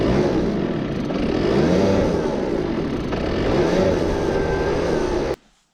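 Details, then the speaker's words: Two-stroke research scooter with owner's homemade CDI and an unmarked Chinese plug cap; buzzy revs rise and fall then the engine dies instantly mid-run; owner suspects the unsuppressed cap picks up interference, not confirmed. "Kyllä mä oikeastaan arvaan, kun siinä on se mun itse tehty CDI, niin että siinä tulpahatussa ei oo hääriösuojasta, kun se on kiinalainen, niin se ottaa liikaa häiriötä siitä."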